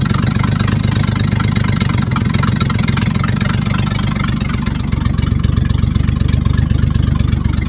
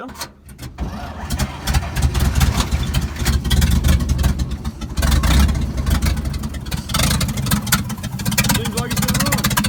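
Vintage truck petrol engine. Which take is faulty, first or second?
second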